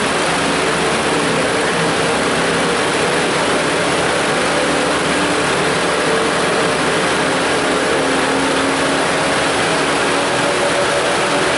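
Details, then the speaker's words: 2006 Mazda 6 V6 running, during a fan duty-cycle check: a loud, steady rush of air that never lets up as both cooling fans run at full speed; a failed fan control module is suspected. "you hear them fans are just going like crazy right now"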